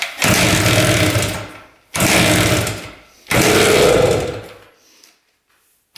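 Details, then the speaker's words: Rare 1973 Harley-Davidson two-stroke on premix, long unused, kickstarted with choke: three kicks each give a brief popping burst fading within a second; fires but low compression won't keep it running, kickstarting not enough. "I think I realized why there is a nut welded onto the crank. I think that's how they started this thing because it was low compression."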